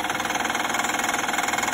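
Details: Honda Pilot V6 idling with a fast, even clattering rattle, about twelve pulses a second, loud for about ten days after months of milder noise; failing oil-soaked alternator suspected, not confirmed.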